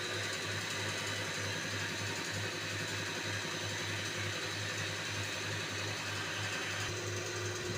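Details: Mahindra Bolero with low pickup, missing and late starting: Delphi injector 28535488 tested on a flow bench, steady rapid ticking over a constant hum; delivery 62.6 against about 75 expected, too low, injector spring to be replaced.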